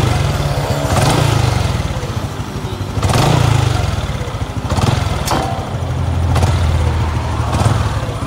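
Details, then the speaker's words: Honda Dash 125 FI at 126,000 km after engine overhaul including timing chain set, idling: light tick over an uneven single-cylinder thump, faint and not loud, said to be louder when cold; ticking at idle, cause unclear. "Ada bunyi sikit kan. Tapi bunyi tu tak kuat sangat. Kalau dia sejuk kuat bunyi dia."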